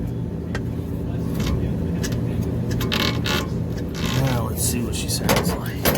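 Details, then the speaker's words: Trane Voyager HVAC unit on 460 V after idler pulley replacement and belt re-tensioning: even low rumble with faint belt chatter, no screech; amp draw 4.4, about as before; previous screaming was not the motor; normal blower operation. "this sounds a whole lot better now i'm not making all that racket maybe a little bit of bell noise but she's not screaming like she was before"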